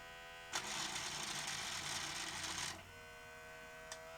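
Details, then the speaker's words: Sanyo VTC-M40 Beta HiFi video recorder loading a tape: harsh even whirring rush for about two seconds that cuts off abruptly. Loading belt suspected slipping, to be replaced. "that went wrong. Sounds like the loading belt was slipping."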